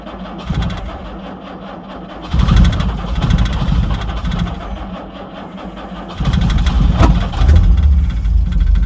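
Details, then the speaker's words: 1968 Jaguar E-type Series 1 convertible, unused about two years, won't start and ran its battery flat; a second battery is connected and choke used. Long cranking with two brief catches that die; oil pressure present, not firing on all cylinders: hard starting. "we go that was a little bit of life let's try it again got oil pressure though [Music] it's not all cylinders but it wants to"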